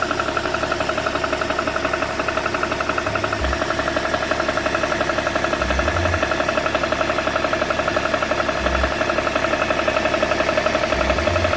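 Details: BMW E61 525d diesel at idle: steady idle with a regular light knock about four times a second, repeating evenly. The owner asks what the noise could be, and the source is unknown; engine ticking noise.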